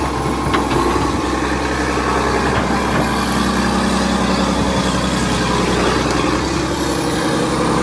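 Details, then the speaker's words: Vintage 1980s all-mechanical John Deere 790 excavator (48,000 lb) working its functions, not even idled up: steady, even diesel drone, no knocks or misses, only faint hydraulic whine; healthy engine running normally. "sounds great oh man you can't touch a machine like [Music] this it's not even idled up"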